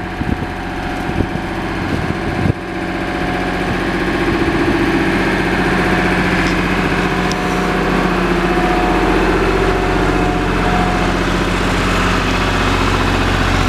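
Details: Lister HR3 diesel generator after cold start, supplying house load on a 100 amp service: steady, even beat about three per second, no hunting or labouring, engine sound unchanged under load; runs right at 60 Hz, healthy.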